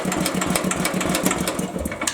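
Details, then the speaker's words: Old cast iron Briggs & Stratton engine just converted to an electronic ignition, gas on; steady pull-over chuffing at several beats per second that never catches despite spark; won't start because the ignition timing must be adjusted via the slotted coil bracket. "All right, now we're gonna start it. Let me turn the gas on. Okay, let's see if it starts. It's sparking, but it ain't starting."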